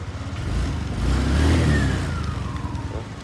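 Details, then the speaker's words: Used fuel-injected Yamaha Sirius with tens of thousands of km, test revs on light throttle; engine blips up smoothly and settles back with no misses or knocks, described as very smooth and running normally. "Thử máy ga nhẹ lắm, đèn bi sáng rất lắc là nhẹ, đi có xe đi mấy chục ngàn mà máy ok, máy quá êm, liền lạc, sạch sẽ, không có trầy gì hết."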